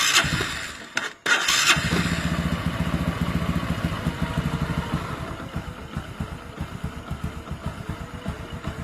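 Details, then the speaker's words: 125cc Honda Supra X/Karisma engine, cold start after fitting new piston (P 125) to cure a cold tapping like a loose piston that vanished when warm or revved: engine settles into even idle, tapping now gone. "Lihat, Guys, suara tak-taknya hilang ya, Guys. Tadi kan ditarik gas ada ya. Nah, guys, sekarang sudah hilang."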